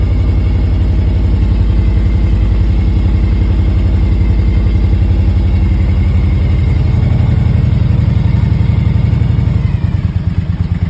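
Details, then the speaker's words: 2001 Harley-Davidson Road King Classic, about 97,808 miles, first cold start after sitting four months on a battery charger: strong, even V-twin lope at idle with steady low thumps, no knocks or ticks; normal start and warm-up. "so it's the first time finished starting in four months"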